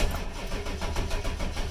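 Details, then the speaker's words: Ford 7.3 diesel in a crank-no-start: steady starter churning with rhythmic compression pulses, never fires; crank sensor works and it reads a few hundred rpm; suspected low injection control pressure from leaky injector O-rings, HPOP pump or IPR valve. "My 7.3 is very unhappy right now. In fact, it's in a no start condition. When I turn the key, it does nothing but turn over, but it never fires up."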